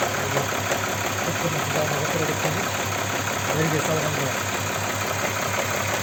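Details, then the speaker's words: Audi Q7 3.6 FSI VR6: a dull, regular knock at idle that keeps pace with engine speed. Absent cold, it appears and grows as the engine warms and vanishes when driving. Compression checked. Owner suspects the cam phaser; not confirmed. "ждём момента появление шума двигателя вот звук он постепенно так издалека начинает появляется вот уже по мере прогревания оно усиливается"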